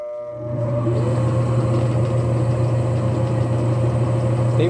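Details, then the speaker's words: Suggar Lavamax 10 kg twin-tub washer that has lost its strength: after switch-on a steady low hum builds and holds while the agitator never picks up speed. Weak start capacitor suspected. "agora vou ligar fica roncando assim pessoal"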